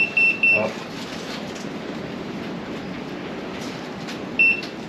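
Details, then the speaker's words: Multimeter beeping while checking voltage (about 12.37 V) on the wiring of a non-starting Kawasaki Bayou 300 ATV. Short high beeps, two quick then one more a few seconds later. This is the meter's normal auto-off timeout warning. "they need to make it where you can adjust the time out on that stupid meter because it won't want a timeout long before I'm ready to shut it off"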